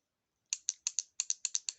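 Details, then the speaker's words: VW automatic transmission (09G) valve body solenoid bench-tested on 12 V battery leads while hunting a transmission fault: sharp, crisp, clean clicks, about a dozen in 1.5 seconds, solenoid moving and working fine; only its connector plug tab is broken. "so you can see it moving there so this is working fine but it has a broken um plug"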